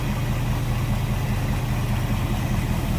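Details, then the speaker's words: 1955 Ford Fairlane Crown Victoria V8 with Edelbrock carb: steady, even low burble with a soft regular lope and no knocks or ticks; normal idle. "Edelbrock carb sounds good slip around to the back maybe here a little bit better now like I said no more crazy exhaust just a nice little deep throat exhaustion"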